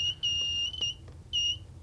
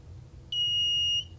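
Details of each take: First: Kit-built metal detector on a plastic box: short, high-pitched, steady beeps in bursts with no target present; false triggering, which the builder suspects comes from being AC coupled and picking up interference from things plugged into the wall. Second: Kit-built metal detector at about 2.8 volts: a clean, high, steady beep lasting under a second as big pliers near the coil; a very small screwdriver went undetected; normal detection tone, detector working.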